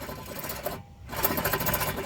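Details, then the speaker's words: Car hub with axle removed, spun by hand: a rough, gritty rumble where a good bearing would be silent; wheel bearing worn and needs replacement. "something tells me that's not supposed to not supposed to hear any sounds when you're spinning let me see I guess I did need new wheel bearings"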